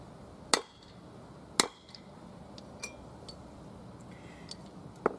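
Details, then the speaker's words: Ford F-150 wheel hub, driving a new bearing race in with a driver over the old race: sharp metallic hammer blows about once a second, then a distinctive ringing clank meaning the race is fully seated; stop there or the hub's roundness warps. "not once you feel you'll hear a distinctive metallic Clank as you drive it in when you hear that that means you the race is firmly seated at the bottom"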